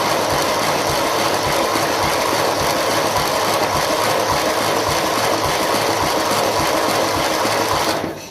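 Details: 1957 Ferguson FE35 TVO tractor during compression test: steady rhythmic cranking about three to four turns a second, even churn, cut off at end; turning on starter without firing, about 59 PSI.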